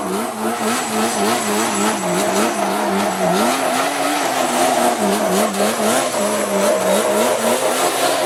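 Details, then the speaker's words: Yamaha Banshee two-stroke after fixing clogged carburetor jets (it previously ran then died, leaked fuel, wouldn't restart): crisp blips rising and falling about twice a second, clean and responsive, no bogging or sputter. "i made it run good and everything so guys if you like what you're seeing please leave a like i fixed the issues it was just the two plug jets"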